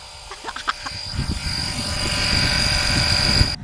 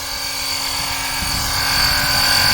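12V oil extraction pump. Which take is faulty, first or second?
first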